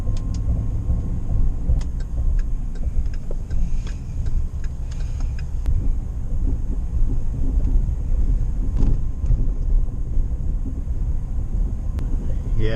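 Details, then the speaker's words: Chevy Silverado on test drive, owner also complains of hard shift though shifting feels good; loose, irregular rattles through steady road rumble, seemingly from the front end; suspension looseness suspected: front-end rattle. "to be honest I do hear the rattling sounds like it's in this front end so I might peek under there real quick before I head out"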